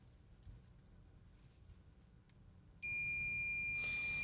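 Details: Ohmmeter continuity test on a switching FET from a Yamabishi SF-PW switch-mode power supply (FREQROL-SF CNC spindle drive): near silence, then a solid unbroken high beep, a dead drain-to-source short that blew the current-sense resistor.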